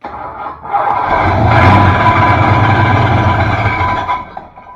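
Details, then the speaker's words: 1966 Ford Fairlane GTA first start after work: engine cranks and catches with a tinny metallic scraping under the idle, starter tight against the flywheel; suspected flywheel hitting the bell housing. "Not as noisy, but it's still there. Almost sounds like the flywheel's hitting the case."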